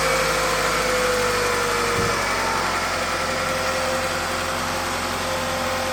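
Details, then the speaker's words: Toyota 2.4 L engine (Tarago/Previa/Estima) after coil pack and spark plug replacement: smooth even idle, steady hum, no stumble or skipped beats; not missing, sounds good. "it's not missing, and it sounds good."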